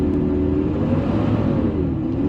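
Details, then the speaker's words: Ford 6.7 Powerstroke diesel, about 56,000 miles, after highway driving at 70 mph; fan spins faster than the engine, reading 3000+ RPM, giving a loud droning roar. Viscous fan clutch stuck engaged. "It sounds like a school bus. Big Mack truck. So it's definitely stuck on right now."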